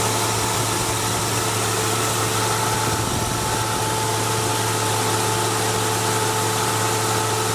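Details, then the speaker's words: 1999 Jeep Cherokee Sport petrol engine idling steadily with AC on max after fix: no squeak on startup; squeak came from the AC compressor, not the belt, cured with PB Blaster penetrant. "So now I had the AC switch on max when I started and no squeak on startup. And now you can hear uh all of that has gone away."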